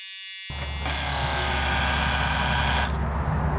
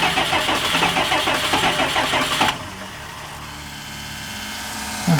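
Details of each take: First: Abandoned RV, fuel lift (boost) pump at key-on: steady electric buzz for a few seconds, then a clean cut-off as it shuts off when supposed to; normal priming. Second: Diesel engine in an abandoned RV, after its fuel was drained: two long spells of cranking at about three turns a second without firing, as air drawn into the injector lines stops it catching until they are bled.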